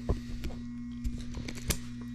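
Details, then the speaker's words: Furnace blower motor, thermostat calling for heat but no airflow from the vents, before the panel is removed: steady low electrical hum with no fan whoosh; motor stalled by a failed run capacitor. "you can hear that that humming noise that that I was talking about"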